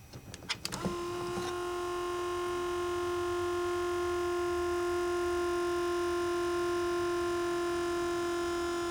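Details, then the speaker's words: Buick Grand National Powermaster brake pump motor, gauge fitted with pressure switch behind reservoir, key on: quick burst of sharp clicks as motor slows building pressure, then steady hum; clicking at end of pressure build means a bad pressure switch, replace switch. "So, if yours is doing that, where it makes a bunch of clicking noise right at the end of it, building up pressure, which you can tell because the motor starts getting a little slower in speed, you want to change your switch."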